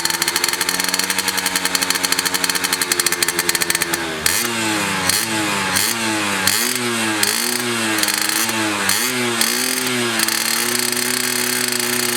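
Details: Restored Yamaha F1ZR two-stroke with a rebuilt stock (STD) engine and full clutch: crisp, even idle, then repeated throttle blips that rise and fall cleanly, picking up smoothly; healthy after restoration.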